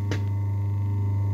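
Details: Century repulsion-start induction-run 1/4 HP motor, about 100 years old, after cleaning and service, on about 230-240 VAC with no load, drawing just under 2 A: steady low mains hum with a faint even overtone, no rubbing or bearing noise; healthy.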